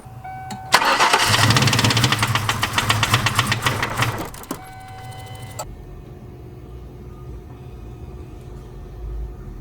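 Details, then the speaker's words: Engine fighting to start after typhoon manifold install: fast rough knocking, three or four hits a second, then dies; borescope found a foreign object, apparently a bolt dropped in the cylinder, piston nicked. "well I told you guys I was gonna go do the borescope and I did and I found some stuff in the cylinder and you know it I really did not like what I saw"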